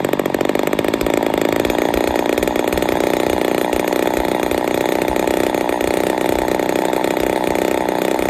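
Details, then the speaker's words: Ported Poulan 245A chainsaw on its first start: buzzy, high, even two-stroke note, running slightly lean and starving a touch at idle/low jet; carburetor still needs tuning. "still need to do some tuning but uh she's a little lean you hear it starving just a touch"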